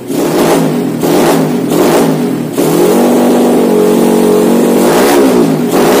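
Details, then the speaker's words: Honda Win motorcycle with Vega engine, freshly fitted PE26 KW carburetor, untuned: small single revs up and settles cleanly in repeated blips just over one a second, smooth with no misfire or rattle; runs well. "dan kita tadi review sekaligus langsung pasang dan tanpa menyeting kartunya sudah enak"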